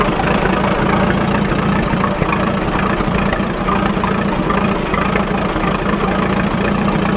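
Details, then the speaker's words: Fordson N tractor on TVO/kerosene, not run for a while, just started on choke: loud, somewhat uneven chugging as kerosene draws through. Owner says it clears and smooths out with extra petrol. "Yeah, it's not run for a little while, so yeah, sometimes you get a little bit of kerosene up in, TVO, and it sucks that through. You have to just wait until it clears, a bit of extra petrol through, and eventually it'll catch and go."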